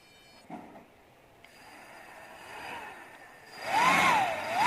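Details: Brushless turbo-fan motor driven by a servo tester with its stock potentiometer, powered from a 12 V computer power supply. A thin electric whine climbs and wavers to full speed, smooth with no rubbing or grinding. Normal high-speed running.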